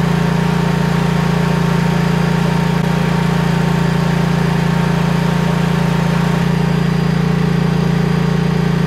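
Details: Briggs & Stratton-engined Vanguard 10,000 W generator after repair of surging, smoking and no-start, suspected fuel supply, refilled with ethanol-free gas: smooth, even drone at constant speed with no hunting or surging; running steady.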